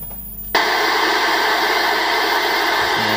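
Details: AWA C1501 5-inch CRT ex-hospital rental TV made by Daewoo, original power supply removed, powered from a 12 V bench supply: sudden loud steady static hiss with faint high whine as it powers up and gives a raster; normal power-up.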